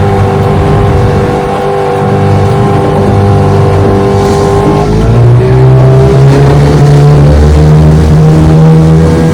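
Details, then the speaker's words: Restored 1996 Johnson 15 HP outboard (model J15RE), warmed up, on-lake test run after new stop switch handle: loud smooth even drone climbing in pitch with throttle, no misses or knocks; runs great. "I changed the handle change the handle of the stop switch uh redid the cover decals everything on it she runs great"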